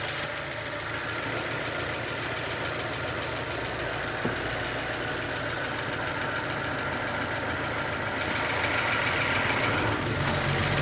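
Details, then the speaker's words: 2007 Nissan Y11 Wingroad, QG15DE with cable throttle, after diagnosis of a stuck fuel pressure regulator (rich running) and a high idle from a burnt ECM idle air control valve driver: steady, even idle in the 800s with no hunting or surging. "So that is it for the road with respect to the idle down to the 800s."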